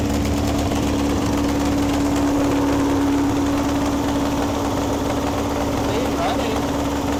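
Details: 1961 VW Beetle barn find air-cooled engine, running its best yet after clutch and gear trials: even, steady idle with a constant hum and smooth rhythm, no misses or knocks. Normal idle.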